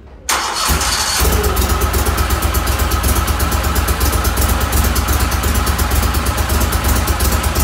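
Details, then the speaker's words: Mud Buddy HDR 50 EFI mud motor, ECM-controlled, on final shop checklist after being run up to about 3,800–3,900 rpm: catches within a second and settles into an even, steady low idle with no misses or knocks, at correct low-speed rpm. "this little one our our low speed rpm is right where we need it to be and this is the efi so it's controlled by the ECM so that's good"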